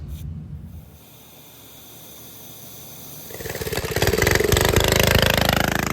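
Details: Rare vintage Donelson Mini Mule minibike, single-cylinder, roughly 50 years old, first run after new fuel line, fuel shutoff, new air filter and basic kill switch: fires up, settles into a quick steady putter that builds without stumbling; runs fine.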